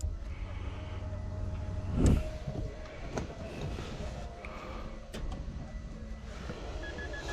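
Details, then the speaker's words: Car in neutral, battery showing full charge and fuel pump working: a few sharp single clicks and the engine never cranks, sounding like a dead battery; owner suspects the battery or wrong post terminals, not confirmed. "Something is going on. Like you can hear it literally sounds like a dead battery."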